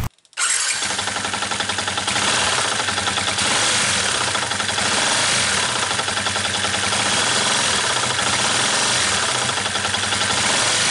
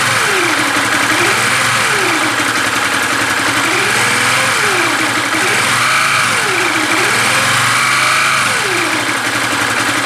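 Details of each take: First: 2013 Yamaha New Vixion engine with an abnormal noise, crankshaft already checked: right after starting a rapid metallic rattle at roughly three to four knocks a second over the idle, pointing to piston slap from worn piston and cylinder. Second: 2013 Yamaha New Vixion single-cylinder after rebuild with new block, piston and parts (original oblique-sounding noise traced to piston and block, not crankshaft); radiator filled, engine test: revs rise and fall smoothly, no knock or rattle, normal idle and revving.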